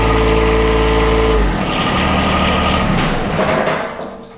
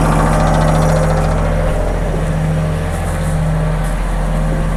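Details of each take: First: John Deere 1023E sub-compact diesel tractor that stalls only in cold temperatures, started in winter: it catches hard and loud, then stumbles and sputters unevenly because of air in the fuel lines. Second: John Deere 1023E sub-compact diesel tractor that stalls in cold temperatures, run during a winter blizzard. It sputtered at first start from air in the fuel lines, then settled to a steady, even, low diesel idle with no misses or knocks.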